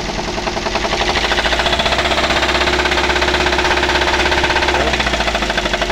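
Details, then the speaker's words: Daihatsu Gran Max engine with rough running, misfire and low power: rapid steady knocking rattle over the engine when revved, easing as throttle drops, as if something inside will break; sound gone after repair. "Nah untuk suaranya seperti itu ya teman-teman seperti ee mau pecah di bagian mesin ya"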